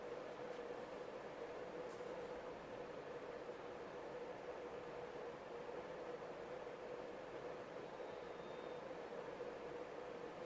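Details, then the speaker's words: CEC 36-inch topmount spinner ceiling fan on high in reverse: soft steady rush of air with a faint constant hum, even with no ticking or wobble; normal smooth running. "Okay, and finally high. And high is the same as forward. Very fast and very powerful."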